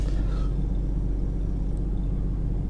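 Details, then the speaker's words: GMC Envoy first start after a new computer install and passlock success, with crankshaft variation relearn pending: low, even rumble at a steady idle with no surging or stumbling; smooth, without the usual first-start shaking. "sounds pretty good, actually. Usually when I first start it up, I have a little shaking. It's smooth."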